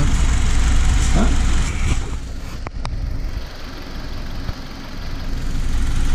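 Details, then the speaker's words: 2002-2007 Saturn Vue 2.2 L idling after new coil pack and new spark plugs: steady, even petrol idle with no stumble or the earlier tapping; misfire fixed, running smoothly on all cylinders. "On the second startup, it still had somewhat of a stumble because it had old plugs, and as soon as we put new plugs on there, I mean, look at it now. It doesn't even have that tapping it had earlier."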